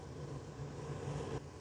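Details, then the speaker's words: Gas furnace blower motor running during a heat call, pushing air across the hot heat exchanger into the ductwork; quiet, steady low hum of moving air with no rattles or scraping while the burners heat. Normal blower operation. "And that fan is blowing, not the flame, don't worry about the flame, the blower motor is not going to put the flame out. That blower motor is just pushing air across a hot piece of metal, which is your heat exchanger, blowing it into the system, throughout your duct"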